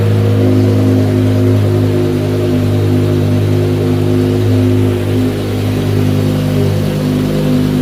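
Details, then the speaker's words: BMW M6 V10, dead for months, started after 24 hours on a battery charger. Deep, steady multi-cylinder hum holds even, then cuts out abruptly. It runs only with the charger connected to the weak battery. "it just died again so looks like we need to keep the charger on for a while"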